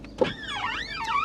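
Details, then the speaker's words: Volkswagen Golf Cabriolet convertible roof, operated after water was heard in the car: a short clunk, then the roof motor whines smoothly as it travels; normal roof motor operation. "I'll be honest after hearing all that water I wasn't expecting the roof to work so oh there we go it works"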